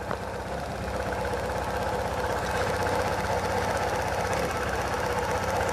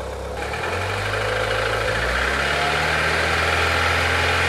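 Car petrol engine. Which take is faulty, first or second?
first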